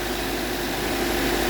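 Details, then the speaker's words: Subaru Outback XT at idle after oil cooler gasket replacement: steady, even hum with no knocks, ticks or misses. No more oil seeping into the basin at startup; leak fixed. "Okay. Running now. Now before, as soon as I crank it up, I would start seeing oil seep into this basin here. But as you see, it's dry. No leaks right now."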